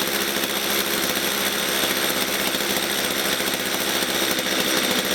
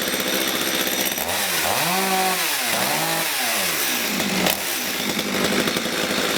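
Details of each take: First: Stihl MS230 chainsaw that bogs at full revs and stalls when set down: ticking over low and uneven with a ragged buzzing beat; rough, too-slow idle, owner suspects carburettor fuel mixture setting. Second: Stihl MS230 chainsaw that ran boggy at full revs and cut out at idle, after carburettor fuel mixture adjustment; revs up and down cleanly then settles to a steady even buzz with no bogging or stalling.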